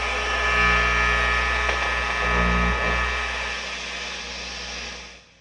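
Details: Mesa/Boogie Mark V tube guitar amp on the repair bench: a low steady mains hum with a faint hiss that fades out. Normal amplifier hum.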